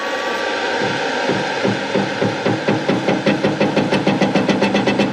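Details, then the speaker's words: Hare and Forbes PHM-560MK2 power hammer, stock drive ramp of 10.5 seconds (program 11), to be cut to 1.5; blows start slow, quicken over a few seconds to about four per second; slow motor ramp-up from long VFD setting. "See how it's starting slow, it's going to get faster and faster and faster. And there is a way to take that slow start out."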